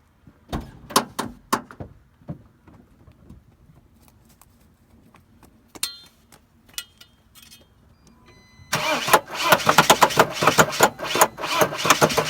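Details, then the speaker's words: Mercedes Sprinter van, cranked with the mass airflow sensor disconnected and starting fluid sprayed into the intake pipe; quiet clicks, then harsh, uneven cranking that never catches. Rough no-start; owner suspects the crankshaft position sensor. "obviously it does not even want to start with some starting f I mean it's really really not sounding that great uh when it's trying to start"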